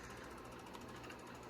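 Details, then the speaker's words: 1997 Compaq LTE 5400 laptop running Windows 95 and a game from CD: faint, fast, rhythmic rattling whir from the spinning CD-ROM drive; disc suspected off balance, drive may need repair; not confirmed. "why is it making that noise oh it's the disc the disc is off balance or something"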